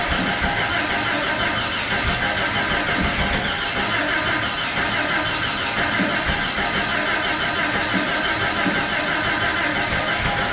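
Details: Jeep (Jurassic Jeep #73) first start-up after body-frame reassembly: starter grinds steadily ten seconds with no firing; distributor 180 degrees out so spark mistimed.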